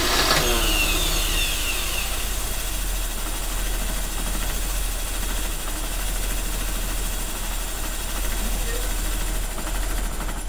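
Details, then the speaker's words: 1985 Mercedes 190E with KE-Jetronic, just started after months of trying. The engine catches and settles into a slightly uneven, lumpy idle while the air flow adjustment is turned a quarter turn at a time; the mixture is still not right. "he's running he is running that counts a little bit right all right she is kind of alive kind of"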